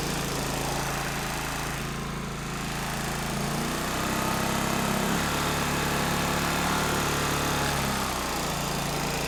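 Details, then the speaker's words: 3-phase induction motor driven from an inverter generator's permanent-magnet alternator, with the engine low on oil: a steady small-engine drone and buzzing hum shift pitch as revs climb, and the motor stalls because the output frequency is far above 50 Hz; motor stalled from generator overspeed. "if I were to run the engine faster the thing will come to a stand still so let's go ahead and do it turn it on again"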